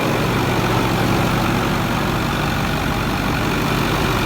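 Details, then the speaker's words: 6.4 diesel dump truck at cold start, not yet warm: even, steady idle with no knocks or misses, a smooth low rumble; injectors and engine sound healthy. "sounds good it's not warm yet"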